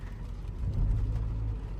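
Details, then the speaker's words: 2016–2017 Toyota Camry 2.0 D4-S with port and direct injection: idle is steady on the port injectors, but a throttle blip stumbles once the direct injectors engage, and it nearly stalls. Misfire from a faulty direct injector. "พอหัวฉีดd4เริ่มขยับนะครับค่าการฉีดเริ่มขยับปุ๊บสะดุดตึ๊บๆๆๆๆๆแสดงว่าหัวฉีดd4sเ่ะมีปัญหาอยู่สักหัวนึง"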